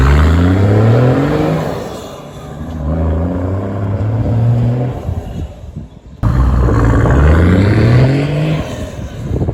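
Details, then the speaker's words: Toyota LandCruiser 105 series turbo diesel after an HPD dyno tune, idle apparently raised slightly. Revs climb smoothly through several throttle pulls with clean turbo spool, then drop to a steady idle with a slight turbo whistle at the exhaust; healthy tuned engine. "So you've got a little bit of a turbo whistle on idle at the exhaust, which is awesome. And yeah, it's just got a slightly different tone, which is great."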